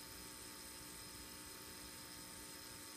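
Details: Teensy 3.1 audio board (SGTL5000 codec) output with cable plugged into a Nexus 7 at high impedance before playback: constant faint hiss, steady high-pitched tones and low hum. Background noise later cured by disabling the codec's built-in HPF via adc_hpf(true, false).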